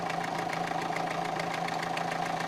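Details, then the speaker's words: Renault 1.5 dCi diesel with Delphi Euro 3 injectors: even idle with only normal fine injector clatter, no metallic knock now. "вот видите стучит а сюда по клину туда уже не исключит сути а сейчас не стучит"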